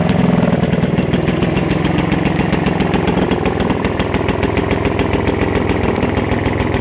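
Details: Vintage Atco Standard 24-inch lawn mower, first start after 20 years of storage, just unseized and spark restored: uneven single-cylinder chug with sharp raspy popping on each firing pulse from an exhaust needing repair; exhaust leak.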